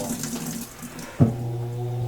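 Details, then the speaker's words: Washing machine water hammer: its solenoid inlet valve snaps shut under high water pressure, so running water cuts off with one sharp bang and a low hum rings on in the pipe as the flow surges back; earlier washer didn't do this. "止める時にパッと止めますから、その反動で水がこう逆流してこんな中で振動するんですよ。ウォーターハンマー現象と言います。"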